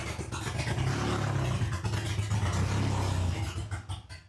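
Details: Honda H22 swapped into a Civic on a FuelTech FT450 ECU, just after first start with no exhaust: very loud, deep, throaty idle with a steady low throb and slight unevenness. Running healthy, just unsilenced; idle to be adjusted later.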